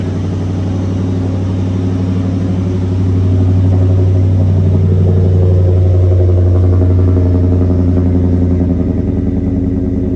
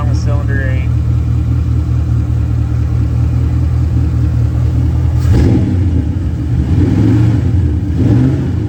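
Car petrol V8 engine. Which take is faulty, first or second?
second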